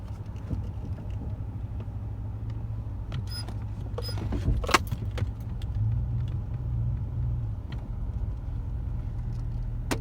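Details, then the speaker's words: 2015 Chevrolet Silverado with 4/6 IHC suspension drop kit, driving forward and in reverse: sharp thumps under hard braking and light acceleration over road rumble. Severe front clunk from the IHC front arms; rear lift shackle also squeaks. "I don't know if you guys heard that that real thumping that's going forward right there and breaking bumping"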